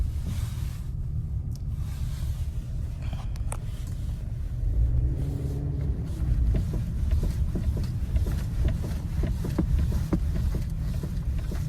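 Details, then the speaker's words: Kia Soul front end over small bumps and rocked back and forth: sharp, slight knocks over a low rumble from a worn sway bar link, with play felt in the joint. "you hear that knocking noise it's a very slight knocking noise and these are over small tiny bumps"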